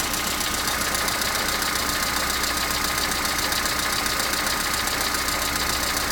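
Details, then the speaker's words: Opel Astra G 1.4 16-valve on a morning cold start: cold idle with a steady, fast metallic chatter over the engine hum, seemingly from somewhere at the back; it runs more or less but rattles again, which is new, origin unknown. "Шум откуда-то сзади. Вроде работает более-менее, но все равно тарахтит. Раньше такого не было."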